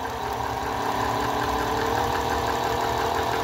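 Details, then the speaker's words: Singer 431G sewing machine, internal motor converted to low-voltage high-speed drive, sewing denim: a loud steady hum with a whining edge because the drive gear was not set in its exact position and dragged. Once the gear was repositioned, it ran noticeably quieter. "okay so Dumbo here just realized that I hadn't put the gear on in the right location it's got to be specific LLY in the right place so it doesn't drag"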